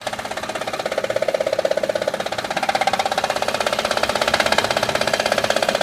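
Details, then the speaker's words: Honda Odyssey engine at idle: a rapid, very regular ticking clatter of about two per second rides over a quiet idle, caused by a failing timing belt tensioner that was then replaced. "okay the first part of our video you can hear the Angels make a lot of noise and what closet was this dry belt tensioner so replace that one"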